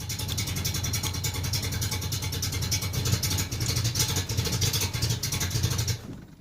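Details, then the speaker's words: 1987 Chevrolet Celebrity Eurosport 2.8 V6, 237k miles, cold start before catalytic converter install, raspy exhaust with fuel smell; V6 runs unevenly, stumbling and lurching then dying; rough cold running, owner doubts head gasket (no milkiness, no coolant loss). "Okay, so it's not wanting to run right today. Oh, for Pete's sake."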